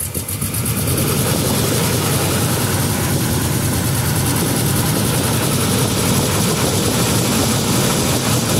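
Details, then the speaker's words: Nissan Z31 after spark plug leads 4 and 6 fixed and fuel pump fitted, with bad fuel: rough loping idle with irregular stumbles; misfire, suspected fouled plugs or possibly stuck injector, unconfirmed. "still got a bit of a misfire but it could be that those plugs are fouled out from just trying to run it"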